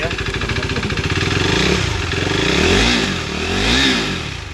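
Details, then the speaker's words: KTM RC 390 single-cylinder after engine rebuild for worn cam shaft and rockers, refitted and started: steady beat with two smooth throttle blips, no top-end ticking or knocking; runs smooth, normal. "तो guys हमारे पास जो RC 390 आया था वो finally start हो चुकी है और इसकी आवाज़ में सुनाते सबसे पहले भाई आवाज़ बिल्कुल स्मूथनेस हो गया।"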